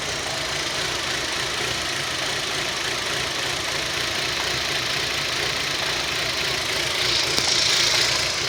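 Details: Rover 25 1.4 petrol, warm start: uneven rough idle with a light ticking beat and a brief surge. A fuel pump was first suspected, but the cause was a faulty lambda (O2) sensor, fixed by fitting a used replacement.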